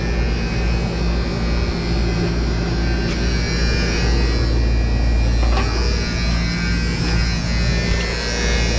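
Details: Outdoor AC unit at 247 volts: steady loud electrical buzz from worn contactor chattering at mains hum, before contactor replacement.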